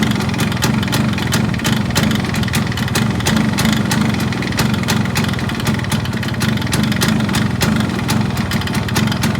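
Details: Yamaha RX135 two-stroke at idle: a steady burble cut by sharp, uneven ticks. Abnormal engine noise, cause not obvious.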